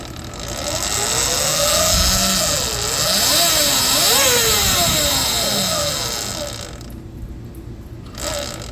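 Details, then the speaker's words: E Ride Pro SS electric bike after jackshaft, pulley and belt change (Warp 9 jackshaft, Gates 560-8MGT belt, GritShift pulley), rear tire loosened, throttle blips: clean motor whine rising and falling, no rubbing or clicking; belt drive running normally. "but it sounds I'm not hearing anything weird so I've turned the bike on so we'll just give it a little gas"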